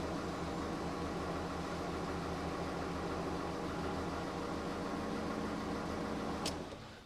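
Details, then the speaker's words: 2009 VW Beetle 1.4 petrol idling just after an oil and filter change; steady, even tick-over with a smooth low hum and no knocks or misses before switching off; healthy idle. "just make sure the oil lights oil pressure light goes out it sounds good just let it tick over for a few"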